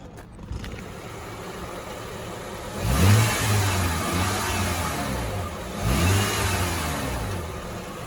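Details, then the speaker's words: 2004 Acura MDX, about 200k miles, AC off, phone placed underneath the car: low, smooth, even idle, no knocks or ticks; quiet, healthy engine. "As you can see, it's quiet. Let me turn this air off. It's quiet. The engine is quiet."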